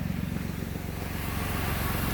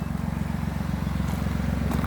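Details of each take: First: Rebuild car idling with the engine light on, traced to a broken O2 sensor wire: steady, even low thrum at about three pulses per second with no skips or knocks; normal idle. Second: Nissan Maxima petrol V6, auction rebuild with 142,750 miles, run off the road over a curb, which bent the exhaust; loud, rough, pulsing low rumble at idle from an exhaust leak at the rear manifold, which needs replacing.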